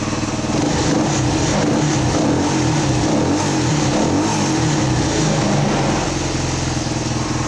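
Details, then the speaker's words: 1979 Honda XL125S single-cylinder idling after a valve lash adjustment, checked with a tach against the book spec of about 1,400 rpm: an even, steady putter with no valve tick or stumble. A normal idle. "I to grab my tack and check that idle speed it's supposed to be about 1,400 or so that's what the book says anyway"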